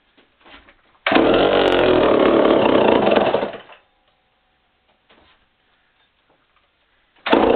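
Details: Remington SL 7 95cc two-stroke chainsaw, run after sitting a few years: starts easily, loud steady rasp, cuts off and restarts cleanly, idles down normally.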